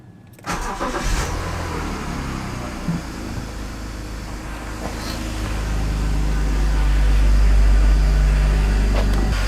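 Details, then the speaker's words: 21-year-old early BMW E60, cold start after leak work; engine catches and settles into steady idle, brief faint chirp at start fading quickly; owner suspects debris on pulleys letting the belt slip slightly, water pump no longer squeaking. "Se oli joku pieni kitinä siinä aluksi oli. En tiedä oliko mahdollisesti jäänyt jotakin jotakin moskaa rullien päälle. Pikkasen pääsi luistamaan tai muuta,"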